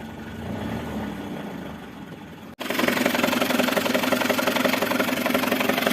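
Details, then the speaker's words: Mercedes A160 after start-up with a sharp, regular tapping knock at about three per second over the idle; owner suspects the timing chain or chain tensioner, origin unconfirmed. "этот вот тух тух тух тух тух Может есть у нас эксперты какие-то подсказывайте что-то Я грешу на цепь Ну или на натяжитель цепи"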